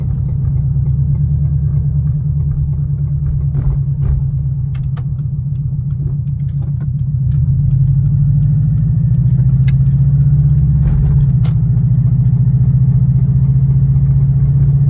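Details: 2002 Subaru WRX boxer engine: deep, regular knock about three a second pounding under a rough, rumbling run; suspected rod knock, not confirmed.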